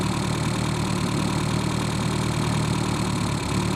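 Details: Reliant Robin after fitting a more powerful alternator, now charging 14–14.8 V: steady even idle, smooth low hum, no knocks, misses or whine; engine healthy.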